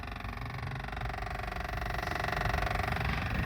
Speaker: now it could be the research actuator they thinking oh they got a ticking noise in their engine but the car is not even running